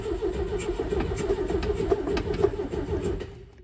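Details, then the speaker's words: Steyr Puch Pinzgauer 710M air-cooled four-cylinder, parked so long it no longer gets fuel, choke pulled: starter churns the engine about three and a half turns a second, never catches, then winds down; fuel starvation, fuel pump needing rebuild. "if we wanted to try to start it we turn the ignition on and then press the start button"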